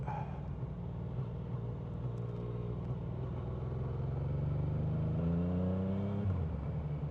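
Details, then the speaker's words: Yamaha three-cylinder motorcycle ridden with its third cylinder dead: uneven, chugging beat at about three pulses a second, lurching instead of revving cleanly, like a twin. Unburnt fuel smell, no throttle response, third cylinder occasionally cuts in. Owner suspects spark plug or coil. "we're down to two valves, 2 cylinders, so it sounds like a twin at the moment. You can smell all the fuel that's not being burnt by the 3rd cylinder."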